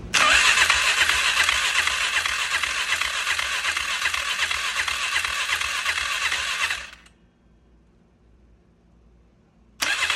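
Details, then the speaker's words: 1999 Polaris Sportsman 500 after adjusting parts that were super tight: even cranking for about seven seconds without firing; the owner suspects not enough fuel in the carburetor. "nope doesn't look like we have enough gas in the carburetor I was hoping"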